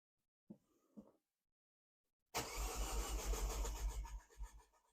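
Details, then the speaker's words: Freshly rebuilt Mini JCW engine, first start attempt after refitting cylinder head and timing, coil packs reconnected: steady cranking churn of three to four beats a second that never catches; cranks but no start, owner questions lack of spark. "Oh, that's struggling. What's going on there? Why didn't we start? Let's go one more. Sounds like it wants to. It wants to. Why is it not sparking?"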